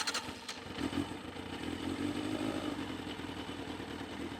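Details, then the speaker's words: 2001 Yamaha FZS600 Fazer four-cylinder: light, even valve-train clatter over a steady idle near 1,000 rpm, raised slightly because it was trying to cut out; no choke needed, in neutral. This clatter is how these engines normally sound, so it is healthy. "Idle is nice. It's sitting there nicely around the uh the 1,00 mark. I did uh turn the idle up a little bit cuz it was trying to cut out."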